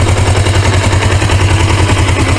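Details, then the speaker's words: 1980s Suzuki GS450A automatic shifted into drive (second/high) gear on its stand: loud, fast, continuous clattering rattle over a low engine drone while the motor runs well. Owner suspects a failing transmission. "you shi it to the second gear drive gear it is going to be rattling it's tail off I really hate that cuz the motor do run good"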